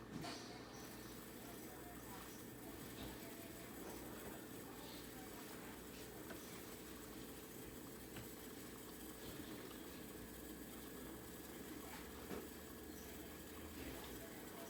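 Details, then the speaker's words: Whirlpool Quiet Partner dishwasher after cleaning a clogged filter screen (chopper blade broken, replacement ordered), hot water; steady rushing spray over an even pump hum, full pressure where it barely sprayed before; normal wash cycle. "so everything sounds like it should tons of pressure before it was barely before when this unit would run it would just barely shoot up any stream"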